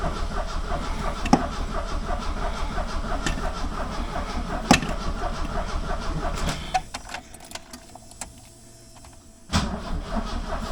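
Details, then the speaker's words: 1976 Alfa Romeo Spider parked 24 years: starter churns about three beats a second with no firing, pauses, resumes; cranks but no start, acting like no spark; plugs found wet and fouled. "I took the plugs out and dried them off they were pretty wet and fouled"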